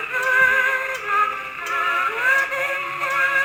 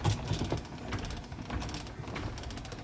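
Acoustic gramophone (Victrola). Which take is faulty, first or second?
first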